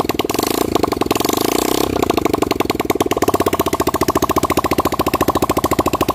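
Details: Yamaha Vixion repaired after lost compression and blinking MIL code 21, first kick start with the radiator not yet filled. Steady, even firing at fast idle with no puffing or misses; the single sounds healthy and holds compression.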